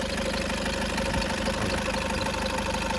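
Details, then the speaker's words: 2009 Toyota Innova diesel, about 250,000 km, after full engine work and valve replacement: light, even tick about twice a second over the idle clatter from the tappets striking, expected to clear after some running. "എന്താ വെച്ചാൽ valve കാര്യങ്ങളൊക്കെ മാറ്റിയതുകൊണ്ടാണ് ആ sound വരുന്നത് തന്നെ. അങ്ങനെ വന്ന് അടിക്കുമ്പോഴുള്ളൊരു സൗണ്ടാണ്. ഈ ടാപ്പറ്റ് വന്നിട്ട് മുകളിലേക്ക് വന്ന് അടിക്കുമ്പോഴൊരു എന്ന് പറഞ്ഞിട്ട് ഒരു ഡിഫറെൻറ്റ് സൗണ്ടാണ് അത്."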